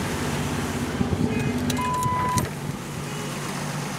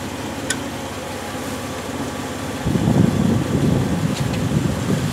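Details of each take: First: Cold 1965 Jeep CJ5 running on a newly fitted XF Falcon electronic ignition: even, low, smooth idle, no misses, some clicks and a beep; owner thinks oil is low; normal idle. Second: Bone-cold 1965 Jeep CJ5 just fitted with an XF Falcon electronic ignition, jump-started: catches then runs lumpy and uneven with wandering pulses; it floods, owner suspects fuel supply or carburettor issues; rough running on cold start.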